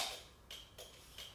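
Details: Motorcycle during a safety inspection, left turn signal tested: crisp, even flasher clicks a little under three per second with no speed-up, so the bulbs and flasher are working normally.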